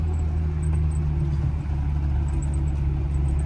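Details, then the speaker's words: 1995 Rover Mini Cooper 1.3 SPi with a newer center-exit exhaust, heard while driving with the windows open: a deep, steady rumble with wind hiss on top and no rasp or blowing. Normal exhaust note. "Yeah, great car. The exhaust sounds awesome."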